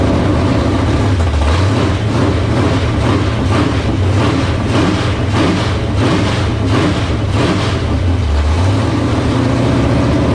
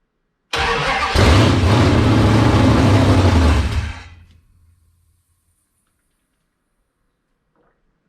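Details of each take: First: 1978 Dodge Warlock truck with a 360 small-block stroker, after the idle was raised. Steady, even loping V8 idle with light blips, firing on all cylinders; 75 psi oil pressure at idle from a high-volume oil pump. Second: 1978 Dodge D100/D150 Warlock truck, 360 small-block stroker, first start on fresh gas, cold with no choke: cranks, catches, runs rough and loud about three seconds, then stalls; ignition seems fine, fuel starvation suspected, not confirmed.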